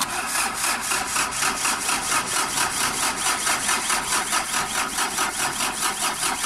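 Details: Engine with a hard-start problem: even cranking pulses about two per second continue with no firing or catch, prolonged cranking without starting.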